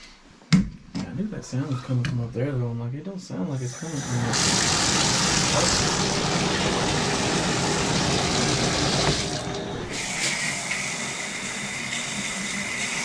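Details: Shower after fixing squeal by removing the rubber washer lodged in the shower arm: after handling noise, water rushes out in a steady, even spray with no squeal or sputter; flow normal.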